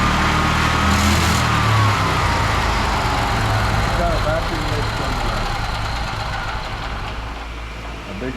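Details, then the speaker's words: Scrapped ~900cc big-block twin-cylinder propane backup-generator engine converted to gasoline, makeshift fuel system: idle drifts up and sags on its own, flares with throttle; owner suspects vacuum leak, surging idle. "big nasty one okay how do you know it's got a vacuum leg because it's it's just walking all over the place it comes up on its own and then it'll go down yeah and when you give it a little gas it'll come way up it's not responding to the throttle"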